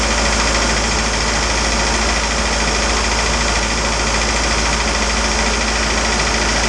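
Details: Isuzu 4BD2T diesel at its initial startup in a build, after an oil leak cleanup: a steady idle with an even clatter and constant low drone, no misses or extra knocks. It runs healthy.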